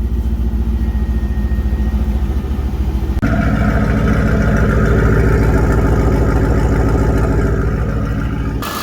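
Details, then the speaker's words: Drift Corvette V8 at its first start after new Bosch starter, idling while warming up with about 50 psi oil pressure: steady, even deep idle that picks up briefly; no knocks or misses, running fine. "I'm gonna keep checking oil pressure and shit. Sounds like it's running fine back here."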